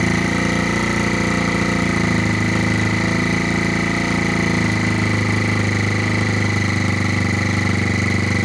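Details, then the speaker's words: Rebuilt GY6 50cc 4-stroke Sprint Max scooter, first run after rebuild with new 24mm CVK carburetor, started by kick and then electric starter: steady, even idle with a buzzy exhaust beat, no knocks or misfires. "ljudi, mašina upalila, rešili smo situaciju, znači upalili smo na kiks i evo sada pali i na na Al-Laser."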